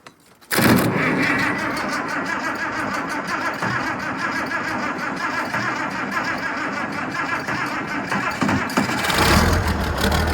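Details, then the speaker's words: International 1468 tractor without its V8, just started: diesel catches after cranking and settles into a low, uneven, wavering clatter; idle too low and rough, throttle linkage not acting right. "Yeah, maybe I should idle it up a little more. The throttle linkage doesn't quite act right."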